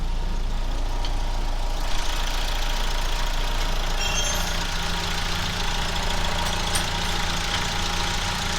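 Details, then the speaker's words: Geo Tracker after replacing cracked exhaust manifold with header, chilly morning: steady even idle with smooth low drone, no ticking or puffing at manifold; no exhaust leaks heard, though some welds may be incomplete. "I don't hear any exhaust leaks, so that's good."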